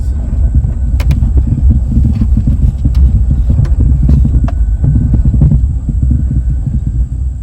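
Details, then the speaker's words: 2002 GMC Sierra pulling out of a gravel parking lot onto the street at crawling speed: irregular sharp clunks over a low truck rumble from a worn steering shaft/column bushing, which is then replaced. "this thing is rattling really bad in the steering column all i'm doing is pulling out of a parking lot that's gravel and pulling out onto the street and you'll hear this clunking noise"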